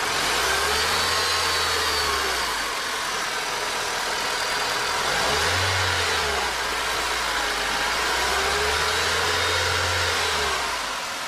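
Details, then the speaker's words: 2004 Honda Civic, 129,598 miles, mic under hood: rough gritty grinding rising and falling with light revs, appears when clutch released, gone with clutch pushed in; worn transmission input shaft bearing. "all right she sounds normal right now with the clut push in as soon as I let my foot out isn't that grinding sound coming from around this area near the clutch so another reason I'm pretty sure it is the main shaft bearing sha bearing rather"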